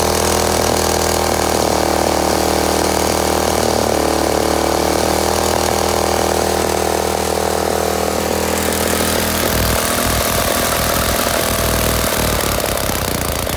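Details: Craftsman walk-behind mower: its small single-cylinder engine runs loud and steady at one fixed speed without changing pitch, because the throttle wire is disconnected and the linkage broken.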